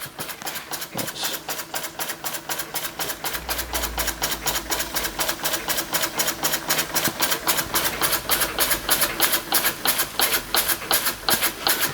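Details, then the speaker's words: Restored Empco B-43 model steam engine running on steam: sharp knock about four times a second every turn over steam hiss, because the crank is quite loose in the holes of the crank support. "it is quite loose in the holes in the crank support so that's why you get that knock"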